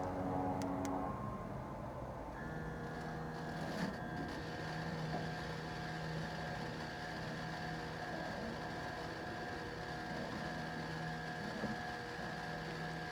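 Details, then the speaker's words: Fuel pump rigged to pump old gas from the port (left) tank of a Marlin performance boat with dead 454 Cobra engine: steady constant-pitch electric whir kicks in and holds evenly; pump working normally. "there she goes right there pretty pretty as it can be turn it on again now that's cool that saves a lot of grief"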